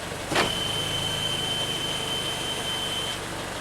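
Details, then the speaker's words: 2015 Toyota Camry 4-cylinder, 125k miles, U760E transmission, P2714 code, rough shifting and shudder, after fluid change: steady high-pitched whine holds about three seconds over the engine as the SL shift solenoid switches on and off while shifting; unclear if normal. "You can hear there's this some kind of sound when the SL solenoid goes on and off."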